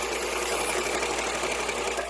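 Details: Vintage Singer 206K sewing machine, newly reassembled, new 206x13 needle, straight stitch by foot pedal: fast even whir and needle clatter at steady speed, after a squeak in the zigzag part was noted.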